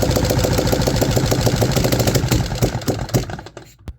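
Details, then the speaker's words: 3D-printed 125cc four-stroke engine on early test runs, only runs on choke: ragged, uneven popping about three a second that stumbles, fades and dies; lean, poor running from an intake vacuum leak. "The main thing that I've noticed is that the engine only runs choke, and it actually sounds like a Ducati dry clutch somehow."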